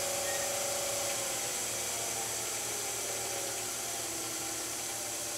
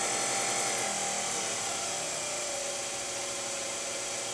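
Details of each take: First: Low-pressure diaphragm misting pump at very low speed: steady hissy running with a regular throb about four times a second, pressure gauge vibrating because the regulating valve has stopped bypassing and all flow goes to the nozzle; pump pulsing. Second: Low-pressure diaphragm misting pump motor turned back down to 80 volts: steady high whirring hum with a quick, even flutter, smooth and unstrained; normal reduced-speed running.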